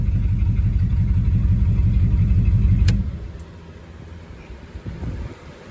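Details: 1972 Ford F-100 Ranger XLT V8 after 10 years in storage, started from the cab after an ignition wiring jumper fix: deep, steady, even rumble for a few seconds before shutting off; runs normally.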